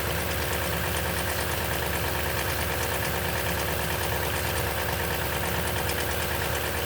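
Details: 2010 Toyota Tundra, 165k miles, 5,500-mile oil changes: cold-start idle with rapid uneven rattling tick, about three per second; timing chain noise suspected, unconfirmed.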